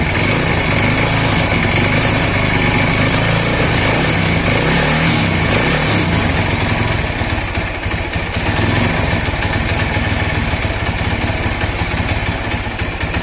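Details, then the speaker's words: Single-cylinder motorcycle (Tiger/MegaPro/GL/CB type) started after top-dead-centre valve clearance adjustment, intake and exhaust gaps checked fine; loud, steady thump at a fast even idle, no valve ticking (loose clearance would give a clacking, rough head); normal idle. "Ini aman ini coba kita Nyalakan ya"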